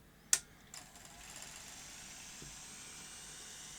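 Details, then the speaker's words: Sony Betamax SL-C9 video recorder with a tape loaded, after threading seemed slightly slow and struggling: click, then a quiet, steady high whir as the tape spins up evenly; transport sounds healthy in rewind. "okay try fast forward well that sounds good"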